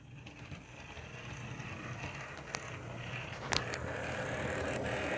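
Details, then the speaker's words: Lightweight, nearly new model train locomotive, barely run: quiet, rough gear whir with faint ratcheting that builds as it speeds up; a lot of gear noise, noisier than the comparison engine. "do that there's a lot of gear noise in it I hope you guys can make it out because it's actually kind of horrible"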